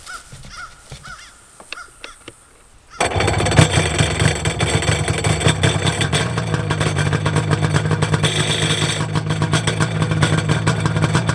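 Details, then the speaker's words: Old Sea-Doo SPX/XP jet ski started out of the water. It catches in about three seconds and settles into a steady, slightly loose rattle from the unloaded impeller: normal jet pump rattle out of water. "I want to just real quick show you what the jet pump should sound like because it kind of makes a rattling noise but it's really nothing to worry about"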